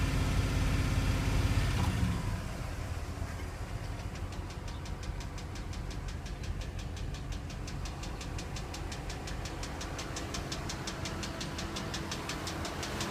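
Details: Ram 4.7L at rough idle with a light regular tick about three per second and misfire on cylinder 7; plug replaced, rockers and lifters fine, #7 compression 70 psi versus 150; suspected unseated valve or spun rod bearing.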